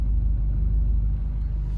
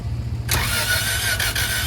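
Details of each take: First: Junk engine from a part-out Acura Integra, warm at operating temperature, idling smoothly: steady, even low rumble with no knocks, misses or ticks. It had knocked earlier and sounded very bad at first start; normal idle. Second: Integra engine from a parted-out car, freshly started with the header fitted: runs harsh with loud sharp puffing ticks over a hissy roar, first sounding like a blown rod. Owner suspects a dented or cracked header; possible exhaust manifold leak.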